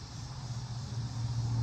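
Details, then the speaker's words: Early-2000s Buick driving on the highway: a steady low torque-dependent moan that stops off the throttle, louder as the engine pulls; a bad motor mount lets the engine twist and ground the exhaust against the body, mistaken for a wheel bearing. "the moaning noise is because your engine is twisting and grounding the exhaust up against the car it makes a horrible noise"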